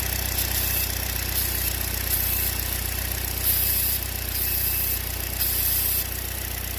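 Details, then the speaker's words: 2014 Chevy Cruze with P0171 lean code, runs rough with low power: steady idle with constant airy hiss at the valve-cover PCV valve, which leaks vacuum; fix is replacing the valve cover (GM 25198877). "this makes noise when you run the engine it makes hissing noise like a leak you're gonna hear the leak"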